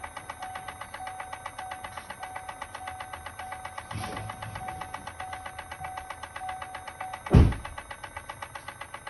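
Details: 2018 Chevrolet Volt transmission clicking: quiet car with a steady, evenly spaced click about four to five times a second plus one heavier thump, pointing to the drivetrain; cause suspected, not confirmed.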